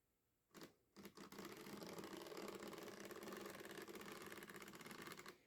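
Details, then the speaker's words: Old Tyco GP20 HO scale locomotive in rough shape, powered on the test track: a rough, uneven buzzing chatter from the motor and gearbox; suspected cracked gear or another drivetrain issue, not confirmed. "it's got life but sounds like it's got either a cracked gear or some other issue"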